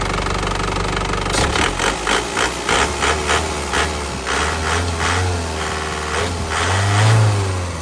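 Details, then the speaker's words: 2007 Isuzu Panther LS Turbo diesel, 98,500 km, warm, no smoke from oil cap or dipstick: revs rise and fall with even clatter and no stray knocks or rattles, engine still sounds very smooth. "suaranya masih pulen banget ya, suaranya mesin masih pulen banget."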